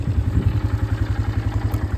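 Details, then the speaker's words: 2008 Polaris Scrambler 500 HO 4x4 single-cylinder ATV, owned about a year, starts right up hot or cold: even thumping idle at about eight beats a second, steady and clean with no misfires or clatter; healthy engine, normal idle. "But it's a very healthy engine. I will say these 500 engines, these things, they're some of the most reliable Polaris engines I've ever seen."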